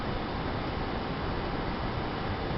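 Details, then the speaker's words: Vivitek D5500 (Sanyo PDG-DXT10L) projector with a warning flash error: smooth, even airy hiss of cooling fans with no rattles, ticks or pitch wobble. The fans, lamps and audio all work normally; the fault is the processing chip/imaging device. "As I said, there's the fans running. Everything is honky-dory."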